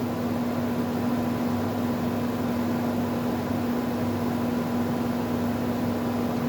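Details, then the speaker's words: R32 10,000 BTU GE/Haier air conditioner on test: steady motor hum with a faint, unchanging rough grumble; owner suspects the motor bearings will fail in later years; not confirmed. "For the time being, it's it's okay. It has a bit of a grumble to it."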